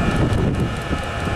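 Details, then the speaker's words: Diesel heater after oven-cleaner cleaning and lowering maximum fueling: smooth, steady roaring burn with no popping or surging, sounds perfect. Normal diesel heater combustion. "then we could give it the thumbs up to the uh Mr muscle oven cleaner method sounds perfect"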